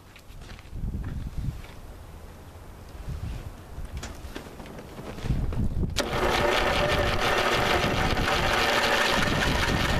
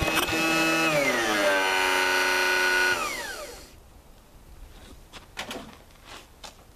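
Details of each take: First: 1985 Lawn Chief riding mower, 11 hp Briggs & Stratton, cranked on a 150 A booster with the spark plug out and PB Blaster in the cylinder. A fast, steady starter whir with even rhythm and no binding; the engine turns over freely. Spark was later confirmed. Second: 1985 Lawn Chief mower, 11 hp Briggs & Stratton, with a new Champion plug and starter fluid: a strained crank whir drops in pitch and stalls abruptly after three seconds; the engine binds partway with internal knocking. Owner suspects the piston is hitting something or an internal part is broken.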